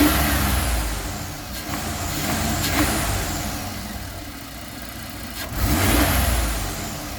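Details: 1999 GMC Safari 4.3 V6 Vortec idling with steady rumble and breathy sucking hiss that swells and fades; poor 11.7 mpg, starts and runs fine, no codes, carb cleaner spray no idle change; owner suspects intake/vacuum leak, none found.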